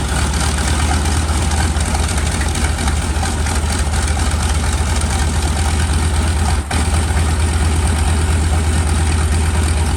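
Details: SB2C Helldiver radial engine on its first test run after an engine replacement, October 3, 2024: a heavy, even rumble holding steady revs with only one brief dip; it sounds healthy and runs smoothly.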